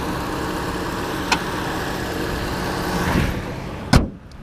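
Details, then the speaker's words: 2012 Opel Astra 1.4 Turbo 120 hp Ecotec four-cylinder with chain-driven timing, started easily with key and clutch pressed: steady, unremarkable idle with a smooth low hum and no knocks or ticks; healthy normal idle. "on met en route la voiture très facilement et on a le bruit du moteur assez quelconque"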